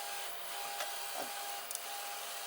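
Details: 3D printer axis after the noise was traced to the stepper motor sending vibrations, not the linear bearings, and a smaller stepper was fitted: quiet, even high-pitched hum with a steady tone, no grinding or rattling; runs smoothly.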